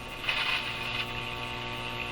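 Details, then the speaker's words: 1930s Eaton's Universal Electrohome floorstanding AM/shortwave tube radio at first power-up, no antenna fitted, tuning: steady low hum with hiss and crackle, some bursts louder, received interference; radio partly working. "okay that's a received bit of interference that sound"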